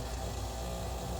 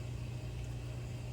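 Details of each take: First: Red Dragon Bubble King 2000 skimmer pump, out of warranty, before repair: steady low hum with a rough, uneven rattling buzz, likely a loose impeller magnet rattling as it spins. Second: Red Dragon Bubble King 2000 skimmer pump after DIY impeller repair (glued with JB Weld), running about 3 hours: smooth, even low hum with no rattle or buzz; earlier rattling completely gone, normal running.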